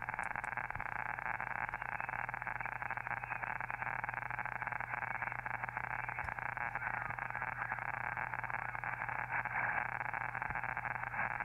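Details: Elecraft K2 ham radio receiving on 40 meters, noise blanker not yet installed: dense hissing static with irregular crackles and low hum. Local electrical interference in the neighborhood, not a radio fault.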